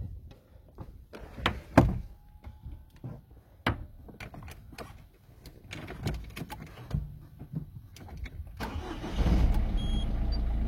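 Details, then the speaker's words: Engine on a car with an original dual-mass flywheel that has been noisy for years: steady low idle with no rattle while the clutch pedal is pressed; the flywheel noise is absent with the clutch held down. "Voilà, donc là il n'y a pas de bruit. Donc là, bah, j'ai le pied sur l'embrayage."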